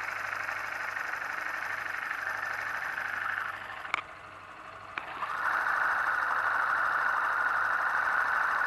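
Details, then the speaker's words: New motorcycle engine at idle, said to be running perfectly, heard through a screwdriver held to the engine; steady mid-pitched whir with light, even fast ticking, about 200 a minute, nothing irregular; normal internal noise. "eu vou funcionar logo o motor primeiro aqui para você ver que ele está em perfeito funcionamento esse motor não tem barulho nenhum não tem barulho"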